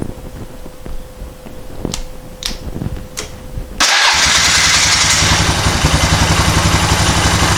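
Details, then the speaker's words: Polaris 425 four-wheeler, not run in 3 years, after recleaning carburetor idle jet: a few clicks, then the single catches straight away and settles into a steady, even idle thump; normal start and idle. "all right there we go it's running make see if it makes it out of the driveway"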